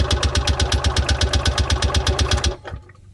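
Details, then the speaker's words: Columbia Parcar golf cart engine after a fuel line replacement. Steady starter chug, about four beats a second for two and a half seconds, never catches; no fuel pumping, owner suspects a clogged filter. Cranks, no start. "Okay, we weren't getting any pumping action with what we have. I think that filter's clogged and everything."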